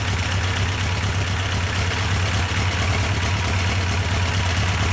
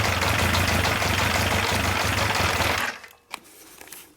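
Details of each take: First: Yamaha FJ1200 café racer project, after oil priming and final start-up, during carburettor synchronisation: steady low rumble with an even beat, no misses, knocks or surging; idle holds smooth and settled. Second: Yamaha 1200 FJ four-cylinder café racer on first start, during carb synchronisation: a fast busy idle runs about three seconds, then stalls. Owner suspects the fuel pump not feeding fuel, or possibly a small air leak.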